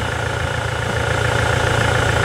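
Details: Toyota SW4 2017 with 2.8 1GD diesel, engine fitted after the original ingested water and dirt through the intake, idling with oil pressure above 4 bar: steady, even idle with smooth low rumble, no knocks or misses. Healthy engine.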